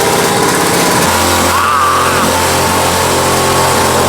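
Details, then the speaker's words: Quad bike (single-cylinder) not running right, fuel topped up: holds a steady low idle but runs loud, uneven and rough, cause unclear. "ça fait du bruit mais elle tient voyez il tient le ralenti"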